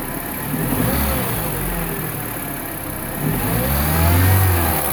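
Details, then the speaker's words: 2009 Mini Cooper R56 non-S with the stock intake silencer box still fitted, before the swap to a VPN 802 tube. Idle swells into two clean throttle blips with an even, muted intake note and no misfire; revving normally. "Okay, here I haven't changed it out yet, so let me step on the gas pedal and see what the engine sounds like before and after."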